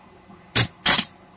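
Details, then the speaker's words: DIY solar over-paneling switching system turned back on: two crisp clacks from the relays kicking in cleanly, charge current climbing back to about 40 amps; normal relay switching. "And all that noise is the relays kicking in."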